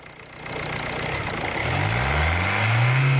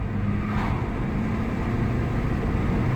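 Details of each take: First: Ford Mondeo Mk4 1.8 diesel in limp mode, fault code P2263 boost performance, revved: low rising drone with no turbo whistle coming in; turbo actuator arm found not moving. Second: Ford Mondeo Mk4 1.8 diesel, previously P2263 boost fault and limp mode, after carbon cleaning freed a seized part: smooth steady pull under road noise, no hesitation; full power restored, about 15 miles driven.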